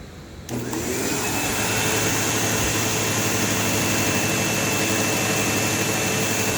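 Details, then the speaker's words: Automatic-series upright vacuum with automatic height adjustment; motor spins to a steady high whine with a harsh constant buzz as the brush roll grinds on itself; noisy brush roll, and plug found hot and burned. "So yeah, the brush roll is going to be very loud and buzz a lot, but you'll still get a gist of how the vacuum works."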